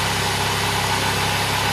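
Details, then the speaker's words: 1996 or 1993 Buick LeSabre at idle just after start with a large smoke cloud; owner notes a small exhaust leak blowing debris: steady idle with faint ticking puff over the engine note. "yeah I got a little bit of an exhaust leak and it's kind of blowing some crap out of the engine but started up pretty dang good"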